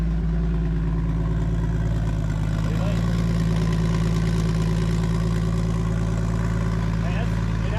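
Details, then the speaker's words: Toyota Supra after a new twin-scroll turbo was fitted, O2 sensor faulty and awaiting replacement: steady, even low idle rumble with a mellow exhaust and no knocks or rattles, quieter than before; normal idle. "But, let's get this thing fired up. See what it sounds like. All right. It's definitely quieter."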